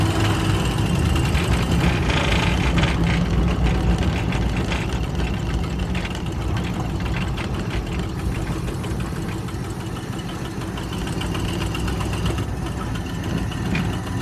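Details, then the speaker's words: Cold Oldsmobile V8 with a misfire and low compression on cylinder number five, pulling at half throttle on seven cylinders: uneven, stumbling beat about four times a second over road noise; misfire under load. "pulls pretty good even for running only on seven cylinders I'm surprised I can't wait to get it to run on all eight see what she can do then"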